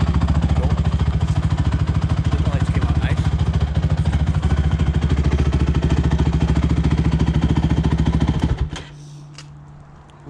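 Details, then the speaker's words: Rebuilt Honda TRX450ER ATV after a ride up the street through all the gears: strong, even exhaust thumping holds steady under load, then drops to a calm idle. The engine runs healthy after the rebuild. "all right guys it's all done right up the street goes through all the gears runs nice sounds good"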